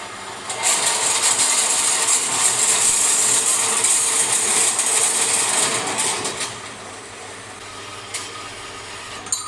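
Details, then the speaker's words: Forestwest 4.5" (115mm) metal bandsaw with 3-speed pulley motor, set horizontal on a slower speed, cutting steel: steady, even blade hiss for several seconds before easing off, cutting normally. "It's now set up for steel, cutting in the horizontal position. It's a 3-speed motor, so we've dropped it to slower speed."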